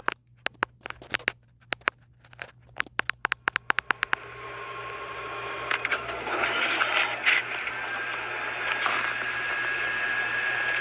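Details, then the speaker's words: Sharp MX-4100 copier with MX-FNX9 inner finisher starts with clicks, then a loud steady high squeal and screech over the paper-feed whir from the finisher exit area rollers. "that's that loud squealing screeching noise coming out of the finisher"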